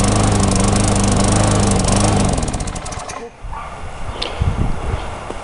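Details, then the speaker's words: Tecumseh mulching mower surging: runs steady, then sags and nearly dies before picking back up; sounds fuel-starved, bowl nut passages clear, white deposits on spark plug suggest long-term lean carburetor running. "so to me it sounds like it's starving for fuel uh I did take the bowl the carburetor Bowl off and check the bowl nut and all of the passageways in the bowl nut are clear"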